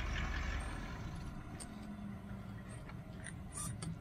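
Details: 2015 Range Rover L405 TDV8 diesel auxiliary fuel-fired heater; low steady rumble with a few scattered clicks on top: heater burning normally.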